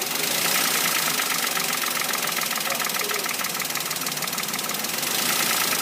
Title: Engine knocking toyota wigo